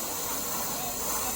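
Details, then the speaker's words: Famiworths single-serve coffee maker, bought a day earlier, set to 10 oz: a steady loud steam hiss and ticking, but no water dispenses, and it then blinks and shuts off. Steam hiss without dispensing. "nothing's coming out but see it's going to Blink and cut off"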